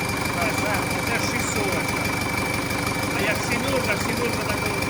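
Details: An MTZ-82 tractor diesel with a newly fitted TKR-6 turbo, first start on a frosty day, air intake and exhaust not yet finished. It holds a steady, even idle with a clear, constant high turbo whistle: healthy, smooth running.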